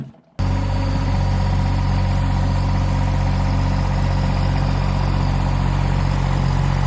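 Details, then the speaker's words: John Deere Gator 850D diesel after fixing no-crank at the neutral safety switch; starts and settles to steady even idle with smooth clatter, no misses or knocks, charging OK. "all right well that's something I think this is fixed let's give it a shot okay contact [Laughter] well get it there and it's charging okay as well"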